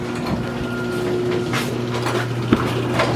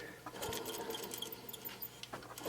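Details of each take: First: 2002 Chevy Avalanche 1500 5.3L after alternator, belt and idler pulley replacement: engine catches and settles into a steady, even idle with a constant low hum, no knocks, squeals or belt chirp. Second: 2002 Chevy Avalanche 1500 5.3L alternator pulley spun by hand: dry, gritty scratching with small squeaks instead of a free spin; dry bearing, with lights flashing and a smell; alternator, belt and idler pulley replaced.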